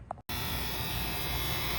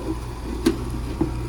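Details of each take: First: AC condenser unit started from the thermostat on a 78-degree evening: steady constant-pitch buzz while the contactor is pulled in, judged just a relay or contactor buzz, possibly a loose cap, in a potential warranty call. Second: Noisy outdoor AC condenser unit on a warranty call, after repair: a steady low hum with no buzz or chatter, only a couple of faint ticks; normal running.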